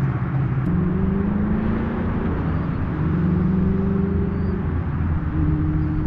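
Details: Ford Mustang with Coyote V8 after new exhaust and Y-pipe install fixing a months-long rattle (traced to a fender bolt): deep even drone rising and falling gently with revs, no rattles or buzzes; healthy mufflers.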